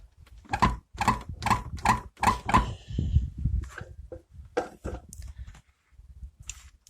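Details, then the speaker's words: Renault Logan door pushed by hand, rattles on gravel and rough roads after summer of bad-road driving: about six creaky squeaks, roughly 2.5 per second; door lock striker squeak, fixed with homemade bushings. "Слышишь этот дребезжащий звук? Подобные дребезжания очень заметны при движении по гравийным дорогам, полевым дорогам — короче говоря, по плохим, неровным дорогам."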